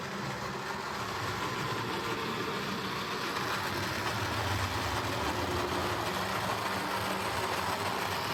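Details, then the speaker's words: Jouef or Playcraft HO scale Class 21/29 model locomotive on repair: steady loud whirring hum from the motor with uneven gritty texture; rough loud running, likely as good as it gets without a replacement motor. "So, well, as you could hear there, this sounds a bit loud and it's running very rough."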